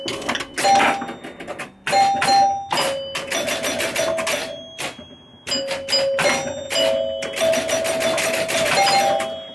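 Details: 1974 Williams Skylab pinball with chime box modified to Gottlieb chimes, chime box fully on: clear bell tones struck singly and in quick runs, each ringing and decaying cleanly; sounding properly.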